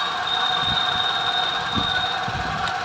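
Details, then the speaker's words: Alto three-cylinder petrol engine shaking with poor mileage: uneven idle with irregular thumps and gaps. Unplugging the cylinder 3 coupler changes nothing, while plug and injector are fine, so a wiring fault is suspected. The scan shows random/multiple-cylinder misfire. "ये ये तीसरा number coupler हटाने पे जरा भी फर्क नहीं पड़ रहा है तो इसके हीर वायरिंग में कहीं ना कहीं प्रॉब्लम है"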